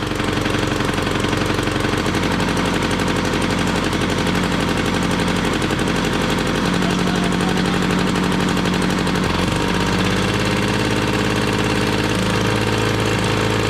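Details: 1968 Ski-Doo Super Alpine with 370 opposed-twin Rotax two-stroke, first start in two years at −23°C, choke held on: loud ragged burble that stumbles and surges, ran about a minute; rough running, cause not found, burnt belt smell and smoke.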